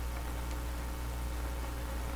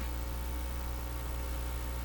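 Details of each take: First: National HRO tube receiver, serial 124B, during IF peaking, RF and audio gain turned up with volume near eight: steady even band hiss over low hum with no crackle or dropouts; working, receiving normally. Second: National HRO receiver (serial 124B) at about 200 V B+ and 50 mA, switched to an outdoor antenna: a steady, even low buzz with no rhythm, mains hum picked up on the antenna line.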